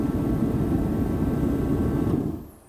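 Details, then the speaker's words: HeatStar forced-air heater with thermostat turned all the way up, after the igniter and fan kick in: a steady, even roar of fan and burner with no sputter or pulsing, fading as it shuts off; running normally and warm. "So it's running. That's really all there is to it. Oh yeah. It's working. Nice and warm."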